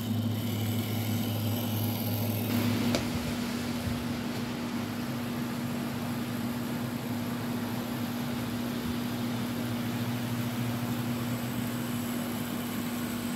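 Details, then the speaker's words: Repaired Rivarossi Heisler model locomotive running on the track without cars: steady low motor hum with even gear whir, no grinding; runs smoothly but slowly, as expected from its gearing. Normal running. "As you see, it's running. It don't run too fast though."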